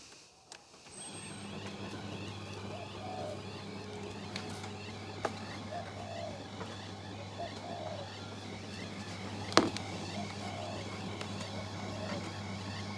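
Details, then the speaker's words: Miele T8929 WP heat pump clothes dryer, empty drum, running the shirts program (1 h 9 min): steady low hum, soft tumbling and rare faint very high squeaks. The owner attributes the squeaks to a bearing but is unsure the dryer has one. Otherwise it runs normally. "i mean very occasionally you'll hear a really really high pitch squeak and that's from the bearing"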